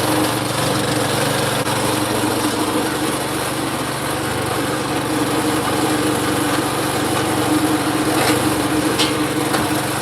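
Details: Craftsman snow blower single-cylinder engine after repair of its faulty idle circuit, pull-started by hand: steady even buzz at full speed with no hunting or surging; normal running at full speed.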